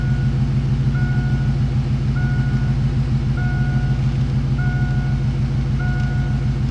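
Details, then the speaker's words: LS-swapped Fox-body Mustang on HP Tuners, in gear with idle control mostly disabled and throttle body at its mechanical minimum: steady deep V8 burble at a raised, even idle, still too high, car trying to drive itself; pulling timing may lower it. "so this is basically as low as the idle will go in gear with the idle control basically disabled for the most part and it's still too high oh the car is like trying to drive itself so"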